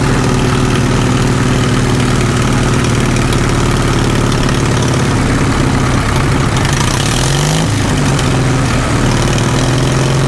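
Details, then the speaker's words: Caterpillar D2 #5J1113 diesel at low idle on first start after full pony motor and diesel engine rebuilds: slow, even chug with a steady low beat, no knocks or misses; owner is happy, though the governor shutoff link needs shortening. "that sounds good for a low idle if i kept it about attack all right pretty happy with it all in all"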